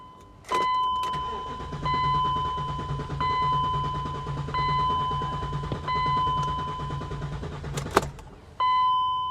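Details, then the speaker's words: V8 BMW X5 salvage car: door chime beeps while the starter spins in several even bursts with relatively good compression, but it never catches; cause not confirmed. Crank, no start. "no i don't think she wants to guys but it sounds like it's got relatively good compression"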